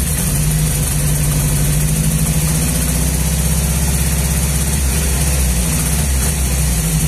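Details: Nissan 200SX misfiring at idle: low, uneven idle that lumps and stumbles now and then instead of running smooth; cause not pinned down.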